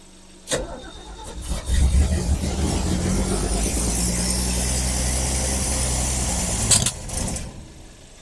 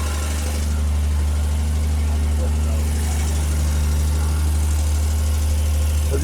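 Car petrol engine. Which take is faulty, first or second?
first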